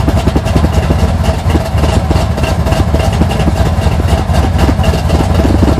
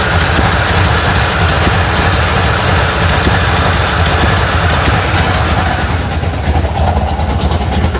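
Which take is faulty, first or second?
second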